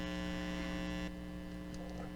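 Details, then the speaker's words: Amplifier through speaker, film capacitor installed with outside foil reversed (reading 48 vs 42): steady low mains hum with buzzy overtones that drops after a second; louder hum from the wrongly oriented outside foil. "So as you see, when I install it incorrectly, the humming noise is much higher."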